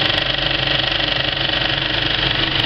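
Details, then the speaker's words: Kinoton FP30D cinema film projector with a Speco LP270 platter, running well threaded at the end of a film: a soft, even, fast clack with no harsh edge. A wrongly set wiggle loop would sound harsh instead. Normal running. "when it's threaded up really well it's got a really nice soft kind of clack"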